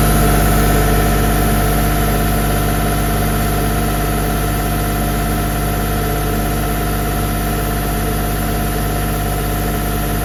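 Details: CompAir LeRoi C175 portable air compressor with a 49 hp John Deere diesel: catches right away and settles into a smooth, steady low-rumble idle with no knocks or misses; normal.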